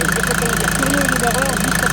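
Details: Mercedes Vito 110 TD diesel after the injection-pump delivery valve holder seals were replaced. Steady idle with even, regular clatter and a light tick about six times a second; healthy normal idle.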